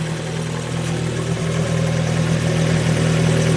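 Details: 2015 Fiat 500 Abarth 1.4L turbo, 67k miles, after replacing failed turbo that pumped oil into exhaust: steady even idle with smooth hum, no knocks, whistles or flutter, while residual oil smokes off.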